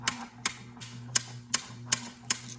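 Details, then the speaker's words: Royal Sovereign Quick Sort electric coin sorter, about 14 months in use, sorting handfuls of coins: sharp clicks roughly every 0.4 s over a low motor hum. The clicking and occasional banging are the normal anti-jam function. "If you guys heard that big banging sound, that was completely normal. Sometimes it does that. That's the anti-jam function working."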